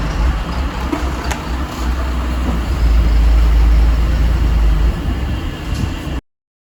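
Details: MAN TGM truck, D0836 LFL diesel, brought in smoking and misfiring; engine removed, rebuilt, and refitted with stand-tested injectors. After the rebuild it settles into a deep, steady idle with no misfire or knock; healthy.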